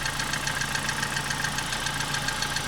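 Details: CD4 engine at idle with a fast, light, even ticking knock that goes silent when throttle is applied; camshafts were already replaced, and the owner suspects a torque converter installed not fully seated, so the gearbox is to come off.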